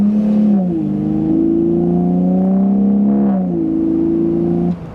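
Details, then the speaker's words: Decatted (catalytic converters removed) BMW Z4 E85 with 3.0-litre inline-six, automatic in manual/sport mode, exhaust heard on drive: loud, raspy note climbing and falling through the revs with a buzzy edge; sounds strange, like a foam-removed muffler. "Sounds quite good. Now, it sounds very strange. It sounds like it's had that, I can't remember what it's called, where they take the foam out to make it sound better, but this car is actually decatted, which is insane."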